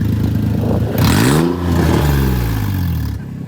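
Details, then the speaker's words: Drift car exhaust with a torn-apart flex joint held on with metal zip ties, revving: loud, raspy, tractor-like bark that swells with revs; exhaust leak. "but it's definitely a lot louder now [Music] sounds like a tractor"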